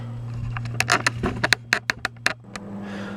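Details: 2C34 20 W class AB2 push-pull valve amplifier with zero input and negative feedback applied; a steady low hum with a few clicks remains, unresolved after lots of work, and drastic surgery is expected.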